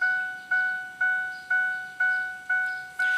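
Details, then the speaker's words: 1999 Ford Explorer with the key out of the ignition: steady chime repeating twice a second without stopping. "I'm in a 1999 Ford Explorer and know the key is not in the ignition but it makes that noise it's part of the reason why it's here"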